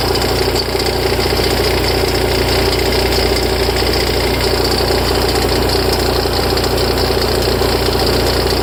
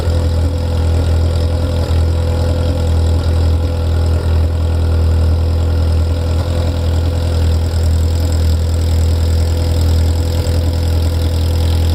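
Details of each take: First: Ferrari F355 at idle: an extra rhythmic clatter of about one and a half knocks a second from the front of the engine, starting tens of seconds after start-up, after which the idle settles; it is louder and longer after long disuse. Source undetermined. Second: Ferrari F355 engine after the front-of-engine noise heard from tens of seconds after start has stopped: steady, even low idle with no knocks or tapping; idle smooth and stable.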